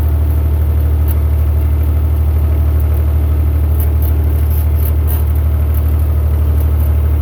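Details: Massey Ferguson 35 Perkins diesel tractor after a $130 low-cost rebuild (cylinders honed, head cleaned, new gaskets after bad pistons were found), test drive in second gear under load: steady, even diesel beat with a strong low drone, no misses or knocks; now runs without smoke and with plenty of power.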